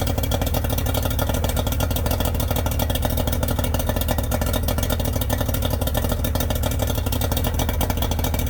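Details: Yamaha 90hp two-stroke outboard on a 16 ft bass boat, idle after carbs cleaned twice and plugs and coils swapped: steady uneven thrumming idle with a loping beat, running on two of three cylinders; number 2 will not fire.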